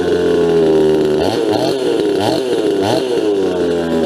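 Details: Farmertec Huztl MS250 chainsaw clone, first start after final assembly with opened-up muffler and baffle: high buzzy two-stroke note with three quick throttle blips rising and falling cleanly; runs smooth and healthy.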